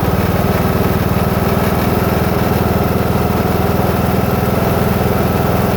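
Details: New Husqvarna TS 242 riding mower: steady idle thump about four beats a second with a rough, gritty grinding noise over it; source not identified.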